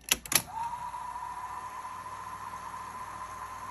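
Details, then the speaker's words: 1980 Sony Betamax SL-5800 VCR after cleaning, with a different tape; clunks as mode engages then smooth even whir, normal fast forward, earlier slowing was a tape issue not the player. "fast forward looks like it's going pretty good all right so it looks like it was the tape on the other one"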